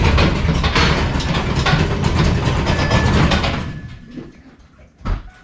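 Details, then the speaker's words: Ford F150 stock Triton 5.4 single-turbo, after running 14 psi boost at the drag strip: heavy uneven rapid knocking about three per second through rough engine note before it dies, smoking; suspected broken connecting rod or piston. "think you broke a connecting rod, or you broke a piston. Definitely a connecting rod or a piston. The way it's smoking and the way it sounded."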